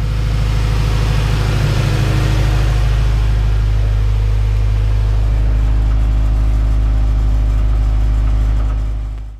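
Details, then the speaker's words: Honda B-series VTEC engine (98-spec Integra Type R) running during warm-up after valve stem seal and lost motion assembly replacement: deep, steady, even rumble, quiet with no ticking or knocking on top; normal running. "all right guys so I'm gonna let the car warm up for a little bit sure everything's fine it's actually nice and quiet now I don't hear a lot of ticking from the engine sounds good"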